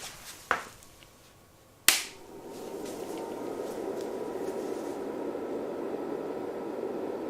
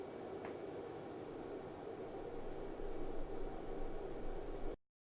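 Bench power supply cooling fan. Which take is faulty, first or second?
first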